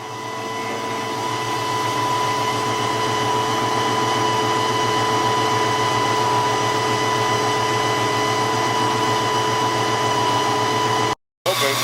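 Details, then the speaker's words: 1993 Ford Mustang GT with a Coyote swap and hydroboost brakes, after a fluid change and bleeding the hydroboost. Steady, even hum with a soft regular pulse and no whine; steering is smooth and the power steering pump is healthy. "the steering wheel is extremely smooth man like it's as you guys can hear my power steering pump is then wiring anymore"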